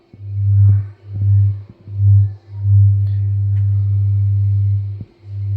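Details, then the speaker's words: Polk Audio PSW10 subwoofer's plate amp playing a low bass test tone around 40–100 Hz: sharp crackling pops break through while turning the volume pot. Suspected, unconfirmed worn volume potentiometer. "Peak going into it you should be able to definitely hear the crackling sound now"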